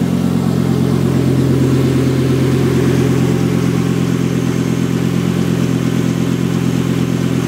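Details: Volvo S70 T5 with swapped-in 2000 V70R engine, first start, open downpipe: loud steady low drone with even firing, no knocks or ticks; normal healthy running.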